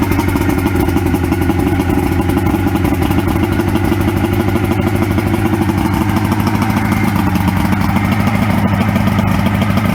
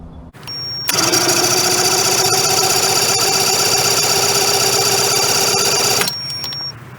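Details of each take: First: 1994 Suzuki 115 two-stroke outboard that previously stalled and wouldn't start after sitting, started after Sea Foam run through and soaked overnight, sitting about 24 hours. Settles into a steady even idle with a low burble, no misses or stumbling; normal idle. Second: 1994 Suzuki 115 two-stroke outboard that stalled and died on the river, cranked after priming the bulb: steady starter churn about four turns a second for five seconds, never catching or firing; cranking, no start.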